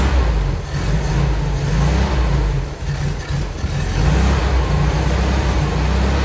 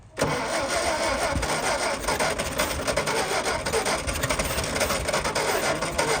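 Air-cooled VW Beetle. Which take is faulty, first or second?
second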